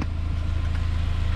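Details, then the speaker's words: Saab 9-5 Aero with 200k miles, straight-piped after its leaking center muffler was cut out, at idle, walked from front to rear. Even, deep rumble with no ticks, knocks or leaks; normal idle. "from the front sounds great and as you walk towards the back you can hear the rumble that sounds awesome guys"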